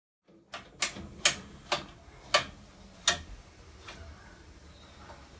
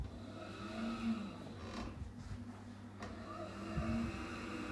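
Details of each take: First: Boiler fired up and running, making sharp irregular metallic clicking, banging, clunking over a quiet hum; kettling because the boiler is getting too hot and heat is not being distributed properly, suspected. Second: Gas boiler after replacing spark electrode kit with seal and spark generator: steady low roar and soft even hum, no bangs or stutter, as burner lights and runs cleanly; normal firing.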